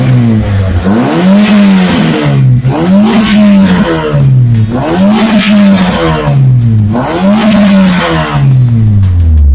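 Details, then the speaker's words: Toyota Vios Gen 2 after replacing the faulty fuel pump that made it stall: engine blips up and drops back cleanly several times without stumbling or misfire, no problems remaining; normal running. "Nah, ini dia sudah hidup ya untuk mesinnya, normal, tidak ada permasalahan kembali."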